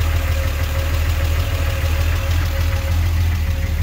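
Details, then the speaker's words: Triumph TR6 straight-six with triple SU HS6 carburetors, newly tuned: steady, even low idle burble with no misses or hunting. Normal idle. "Might as well show you what this car sounds like these days with the carburetors finally tuned now."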